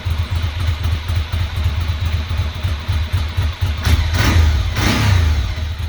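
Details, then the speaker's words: 2006 Ducati Monster S2R 800 after a new fuel pump, regulator cleaning and unclogging the front cylinder injector: steady, lumpy V-twin idle with two clean throttle blips rising and falling smoothly; now running well on both cylinders. "so that cleared off too so now she's running well on both"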